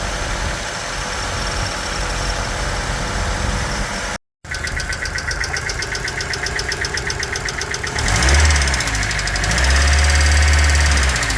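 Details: Hyundai Getz G4EA petrol engine at 224k km, at idle, with a fast, light top-end ticking from a noisy hydraulic lifter; Liqui Moly hydraulic lifter additive (1009) being tested.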